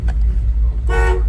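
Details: 1987 Chevrolet K10 4x4, 350 V8 fuel injected, automatic, running during inspection walkaround. Short, clear, steady honk with a firm even tone over low engine rumble; horn works properly.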